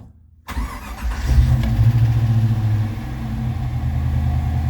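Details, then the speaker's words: Brand-new, factory-calibrated 430hp LS3 EFI V8 in a 1985 Toyota Land Cruiser FJ60, one of its first starts: brief crank, catches at once, flares and settles into a smooth, steady burble with no misses or rattles. Normal start. "love a modern EFI motor. Fires right up. This thing settles into a nice idle here. Slick, smooth."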